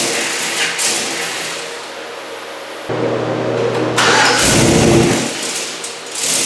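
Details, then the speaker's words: Turbocharged 1961 Chevy pickup with LQ4 engine, first start after throttle actuator rewire: repeated cranking catches briefly, revs weakly and dies; owner pretty sure the throttle actuator controller was faulty, later replaced with junkyard unit. "Pretty sure I had a faulty throttle actuator controller."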